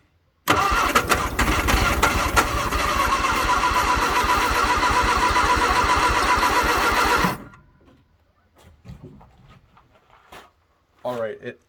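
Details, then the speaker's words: 1962 Vauxhall Victor that sat 25 years, with a rebuilt but weak starter, on its first start attempt: catches and sputters unevenly for about seven seconds, then dies. Owner suspects carburetor issues, possibly low fuel. "definitely has carb issues but I mean you can hear it trying to run but that's already pretty good"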